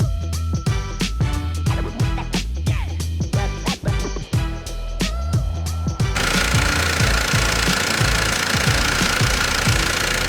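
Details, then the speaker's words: Opel Corsa petrol engine idling: fast metallic rattle from suspected stretched timing chain, partly behind music; no chain-related fault codes stored. "сегодня в немец авто у нас opel corsa приехал с посторонними шумами двигатели очень похожи на цепь"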